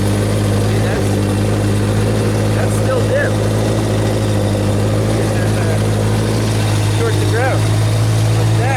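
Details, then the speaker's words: Genie boom lift engine after unplugging the water temperature safety circuit, which caused a partial ground: steady, even drone that stays running, slightly rich. "now let's unhook this guy take it out of the picture and do the same thing see what the voltage is now it should stay running woo Little Rich"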